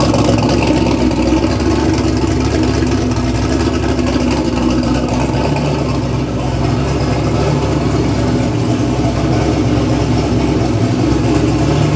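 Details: Engine after a full bearing replacement, pan refilled with oil, first run to check oil pressure: steady, even idle with a low, smooth rumble and no knocking or ticking; the bottom end sounds sound.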